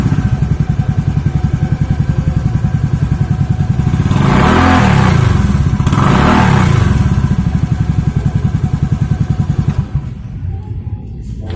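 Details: Beat scooter with a Tsukigi exhaust used for a few months, blipped twice before the glasswool is replaced. Deep, rapid, raw exhaust that is overly loud; the owner suspects the glasswool packing is burnt.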